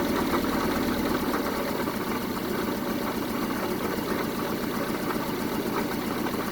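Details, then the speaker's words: 1974 Honda Civic series 1 Mk1 engine test run after spark plug replacement: rough, uneven idle with irregular stumbles and loping beat; still misfiring on one cylinder, compression check planned, cause unconfirmed. "Well, it's running, but it's not running at its best. Let me check. It's running, but not the best right now, so most likely I'll have to check the compression on this engine as well to make sure it's good."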